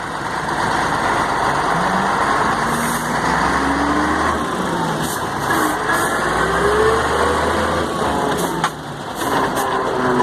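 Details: Mercedes-Benz 1634 diesel truck, in gear, noise only when lifting off the accelerator: faint gear moan rising and falling over the steady drone while coasting, seemingly from the differential.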